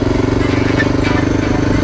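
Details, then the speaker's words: 2000 Honda XR600R single riding on the road, engine sound amplified through the gas tank; steady even thump with no knocks or rattles, though the owner suspects cam chain sliders are worn to the metal: normal running. "yeah that sounds okay from here you know all the time i've ever had 600's i've noticed that the sound of the motor is amplified through the gas tank"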